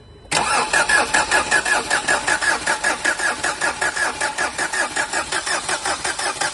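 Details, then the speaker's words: Renault Duster 110 PS diesel before repair, misfiring from faulty injectors 1 and 2: long steady cranking at about 2.5 beats per second that never catches; hard starting. "First complaint பாருங்கள். Start பண்ண ராஜா, crank பண்ணு."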